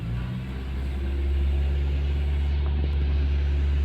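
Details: Toyota car on LPG and octane, idling in park/drive/reverse with AC: deep, low rumble with slightly uneven beat; rough idle traced to a disconnected vacuum pipe (power motor line) causing a vacuum leak.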